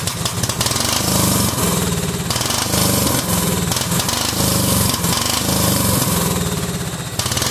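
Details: Cub Cadet 2130 lawn tractor, just started: loud, uneven, stumbling engine with choppy beat; fuel system full of water and rust, owner suspects water in the carb bowl, plans to drain it.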